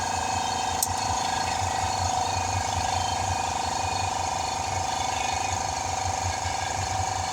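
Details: Air compressor used during a tire change on a 2018 Ford Explorer: steady droning whir with a faint high hum and a rough, fast rattle as it pumps. Owner thinks the compressor's bearings are nearly gone; not confirmed.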